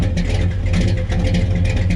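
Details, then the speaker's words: 1982 Chevrolet K10 square body with newly built big block 454, just started, heard at the exhaust which has mufflers; deep even rumble, steady firing pulses, no knocks or misses; normal running, loud exhaust. "be honest man that thing sounds great I mean really really good strong motor like I said it sounds like my Jeep"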